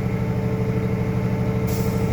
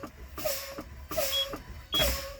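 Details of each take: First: International truck in-cab pre-trip, diesel idling while building air pressure: steady idle, then a sudden sharp hiss as the air governor cuts out at full tank pressure, around 120 psi. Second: International truck in-cab pretrip, engine off with key on: brakes pumped down from about 90 psi toward 60 psi, air hissing in bursts until the low air warning light and steady alarm tone come on, indicating low air pressure.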